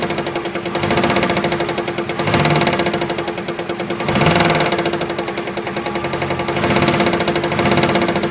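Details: 1999 Dodge Dakota 4x4, 5.2L, automatic: fast steady ticking rattle over a thin constant tone, swelling in slow waves, absent in park and reverse, softer in neutral, louder in drive; owner suspects transmission; noise louder in drive.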